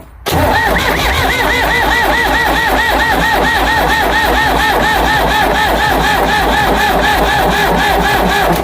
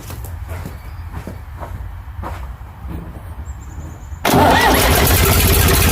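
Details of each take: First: Ford 555 backhoe diesel after head reinstall, plugged fuel filter with water and sediment cleaned: steady starter cranking about three beats a second for eight seconds, no firing; injection pump air-bound from clogged filter, needs bleeding. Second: Ford 555 backhoe diesel after head reinstalled and fuel system bled through filter, injector pump and injectors: several seconds of slow labouring cranking, then catches and settles into a loud, steady, clean idle.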